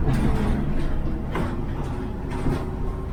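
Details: 1969 Chevy van, cold start after sitting a week: steady, slightly raised idle with low even rumble and body rattles, stays on high idle for a while so metal panels vibrate; normal cold-start fast idle.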